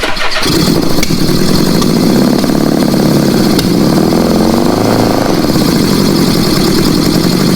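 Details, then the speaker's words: Old Honda Goldwing with four carbs, now actually running on gasoline after some backfiring: it settles into a steady, even idle with no misfire rhythm, running cleanly. "Hey, that runs good when I get idling now."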